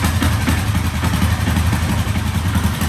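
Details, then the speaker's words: 1967 Sears Super 12 garden tractor with a swapped-in engine and new muffler, freshly started on gasoline: lumpy low chugging at about four beats a second, rough but keeps running and roughly idles; normal running. "That sounds good. That's awesome. So it runs on gasoline, not starting fluid though."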